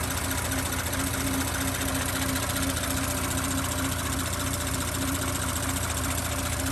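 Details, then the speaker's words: 2018 Audi B9 S5, 3.0T EA839, 57–58,000 km, fresh 5W-30 Castrol Edge oil change, mic at front of engine bay: smooth idle with light quick ticking from high-pressure fuel pump and injectors; no rocker tapping or piston slap, normal. "But as you can hear, there's no other strange tapping noises. It's really just high pressure fuel pump in the injectors."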